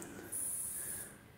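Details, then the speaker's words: Chimei CMV T39D 17 or 19 inch LCD monitor that won't start: a faint, very high squeal lasts under a second then dies as the backlight, probably compact fluorescent, fails to fire; bad electrolytic capacitors on the power-supply board. "it sounds like it's trying to fire up the backlight which is probably a compact fluorescent and it's obviously giving up"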